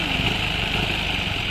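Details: Rebuilt motorcycle engine at idle: harsh metallic rattle and high ringing over the engine beat, noise stops when clutch lever is pulled; kick start gears misaligned and clashing, to be fixed from the clutch side.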